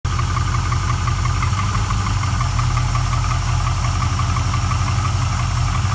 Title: Rebuilt LS1 piston slap or knock